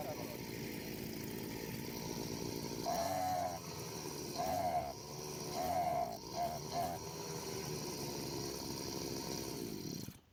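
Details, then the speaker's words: Two-stroke brush cutter with the carburetor jet deliberately turned about half a turn out of adjustment: runs rough and uneven, surging and dipping without clean revs; it bogs and lacks power from the misset jet. "So, the brush cutter is choking. It doesn't have enough power."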